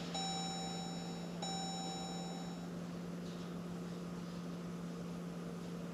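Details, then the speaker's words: 2015 Jeep Grand Cherokee EcoDiesel, 130,000 miles, key-on after fuel filter change, key cycled repeatedly to prime before starting: couple of short chimes then a steady faint electric hum; fuel pump priming normally. "hopefully you can hear it run and then you can hear it click and it'll stop you won't hear a noise anymore"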